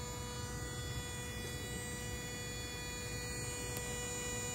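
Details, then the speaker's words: Inverter coolant pump on a Toyota hybrid with A25A-FXS engine, car in EV mode, reservoir partly drained: quiet steady electric hum with faint buzz, continuous coolant flow seen; pump working normally despite owner suspecting it after both hoses read the same temperature. "yes that's the sound of the pump it's working and I can see the coolant flow is uh continuous and I can hear it from here"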